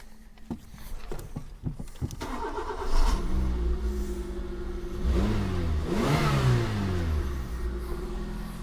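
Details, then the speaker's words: Suzuki Wagon R+ abandoned and sitting a while, first cold start on choke: several short cranks, then it fires and revs rise and fall smoothly; even run, no knocks, no smoke from the exhaust; healthy start. "So not too bad. Obviously it's on the choke at the moment. It seems to run pretty nicely. No smoke coming out the back or nothing like that."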